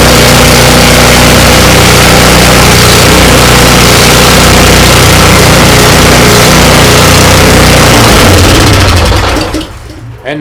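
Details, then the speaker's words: Ariens 24-inch snow blower with 9.5 engine, long-stored and missing badly before Seafoam treatment, electric start: single-cylinder runs steady and even, no missing or surging; normal running. "have it it runs [Applause] so hopefully that'll do it i think we'll leave it right a while longer see what it see what it does"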